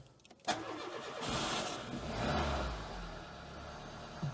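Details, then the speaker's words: Renault Mégane Classic after fixing a battery problem that stopped it starting: short crank, then it catches and settles into a steady even idle after a small tap of throttle; normal engine start. "hadn't quite kicked him properly but a little tap of the throttle and we are all go again excellent i think we're back in business"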